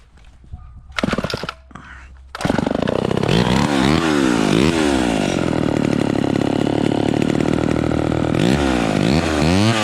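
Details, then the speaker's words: Vintage Homelite XL12 two-stroke chainsaw, high-speed mixture screw turned in until a clean, smooth full-throttle scream with no blubbering or four-stroking; this is too lean and should be backed off until it slightly four-strokes; high-speed mixture too lean. "so did you hear that so we turned it in until it was singing super smooth with no blubbering but that's too that's too lean"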